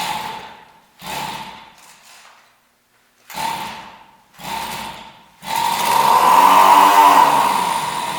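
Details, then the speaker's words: Husqvarna 40 chainsaw, brought in because it wouldn't run and found with an empty tank, in a start test before refuelling and carb cleaning; several short bursts then a sustained rising, holding rev, clean and not choked. "so I proved that it would run it didn't seem to sound bad or I didn't want to or I didn't sound choked up with that test"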